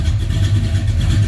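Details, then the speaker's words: 1978 Ford Courier after coolant sealing repair, warming up at about 700 RPM, heard from rear at exhaust: deep steady rumble, slightly snarly rasp, no knocks or misses; normal running. "It runs good. Just a little snarly. But it's going to take a few minutes to warm her up."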